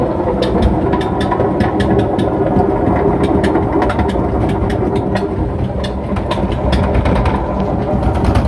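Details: Washing machine on its final high spin: a steady loud roar with scattered sharp rattles and knocks, unbearably loud; owner suspects worn drum bearings that should be changed, not confirmed.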